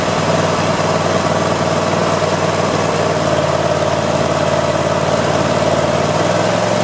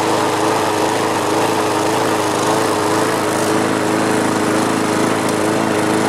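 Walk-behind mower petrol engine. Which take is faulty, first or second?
second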